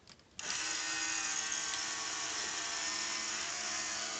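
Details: Bright Holiday Express toy train set with sounds, most lighting and train running no longer working: a small animation motor whirs up the instant power is switched on and holds a steady high whine without forward being pressed, running constantly.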